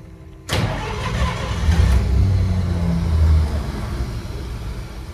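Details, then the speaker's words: 1953 Pontiac Chieftain cold start in freezing weather: fires and runs roughly on the starter, stumbling and fading instead of settling to idle, then dies. Owner suspects the cold. Cause not confirmed. "she just won't stay running she's right there"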